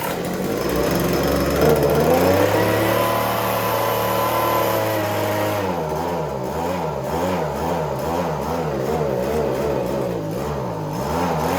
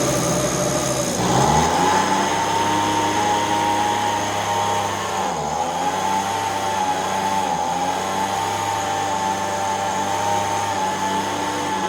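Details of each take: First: Echo ES-210 handheld two-stroke leaf blower, about 15 to 20 years old: engine speed surges from top RPM almost to dying and back; suspected fuel delivery issue, gummed-up carburetor probably needing rebuild. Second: so now that we know that it's running and it's not doing the fluctuation behavior like it was before,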